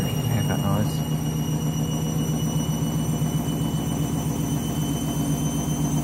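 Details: Candy washing machine with new clothes on final spin ramping up: heavy pulsing low rumble, nearly four throbs a second, under a thin high whine; strange noise.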